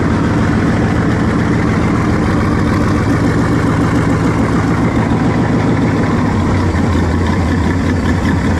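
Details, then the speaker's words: Engine test-running on a trusty 2-barrel carb swapped in for a used, rebuilt 4-barrel judged junk: deep, lumpy uneven idle, possibly spitting back through the carb, blowing fire out; runs better than before, owner suspects air-fuel mixture needs adjusting. "She ain't liking something. Keep blowing fire out. I think I need to get this air fuel mixture right"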